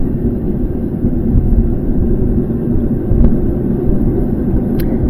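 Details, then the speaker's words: GE top-load washing machine in spin test, basket starting a slow spin: deep steady rumble from worn bearings inside the sealed gear case; gearcase shot, gearbox replaced. "hey just locked it and now it's starting to spin and immediately you can hear the bearings"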